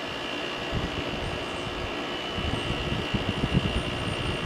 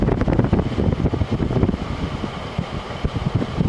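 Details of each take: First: 2001 GE Quiet Aire air conditioner after fan motor bearing replacement, LG compressor just switched on: loud steady drone with high whine and rattly roughness, noisier than remembered. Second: 2001 GE Quiet Aire air conditioner after fan motor bearing replacement, fan reassembled with cover off: spins up with a soft low whoosh and a few light thumps, no grinding or squeal; fan motor running normally.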